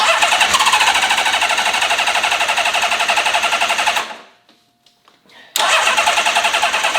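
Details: Honda CBX six-cylinder motorcycle's first start in 20 years after a full carb rebuild, with the vacuum system ignored. A raised, slightly uneven idle that is still clearing its throat, with a little smoke. The high idle comes from the carbs starving for fuel.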